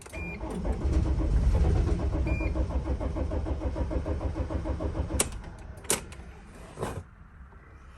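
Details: 2006 Dodge Sprinter, crankshaft position sensor fault blamed, after it briefly ran and shut off: cranking about three and a half pulses a second that slows and fades, never fires. Crank no start.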